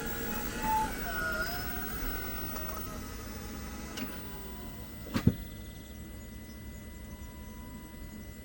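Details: 2022 Jeep 4xe cabin: short high squeaky chirps when reversing and braking or shifting into P, then a sharp double click or clunk; dealer cleaning the brakes did not fix it.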